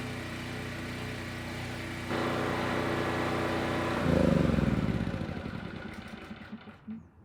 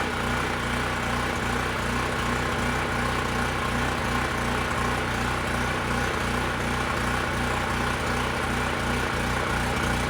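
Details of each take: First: Generac LP3250 propane generator, about 7 years old, after regulator repair: steady even beat firming up as load comes on, then winding down cleanly at shutdown; healthy under load. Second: Generac LP3250 propane generator, about 7 years old, first start, following choke and primer attempts: loud single-cylinder beat with uneven stumbles, running rough and hunting; owner thinks excess propane flooded it, regulator and carburetor seem to work.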